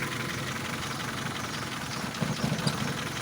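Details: Engine idling after a spark plug replacement that fixed a misfire; the idle is low and steady and holds its speed with no stumble or dropped beats, with a couple of soft thumps near the end; normal idle.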